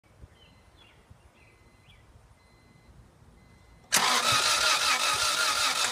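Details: 1997 Acura Integra GSR with new spark plugs and wires: starter spins the engine at a fast steady rate but it never catches; cranks, no start.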